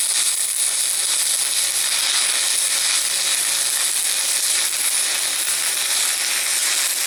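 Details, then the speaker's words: VEVOR MMA 200 DC stick welder, first use, with supplied rods: steady loud crackling hiss, unbroken arc, slightly harsh; welder suspects amperage a little hot and turns it down to 80. "Sounds good. Actually sounds like I might be a little bit hot. Turn it down to 80."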